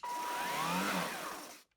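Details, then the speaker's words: Gtech AirRAM Mk1 22V cordless vacuum on a 22.2V Li-ion pack that had blown, now with a good control board swapped in: a sharp rush of air over a high, steady motor whir, then cutoff. Runs normally, so the cells are fine and the fault was the controller. "well that's obviously working so those batteries are good"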